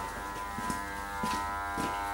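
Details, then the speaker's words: Fabdec BMT milk tank in relay test mode, wash peaking at only 15°C: hot valve selected, no water coming out, only a steady electrical hum with no spin-up; the hot boost pump is stalled from a failed capacitor. "so that's hot nothing coming out there and i can hear a hum"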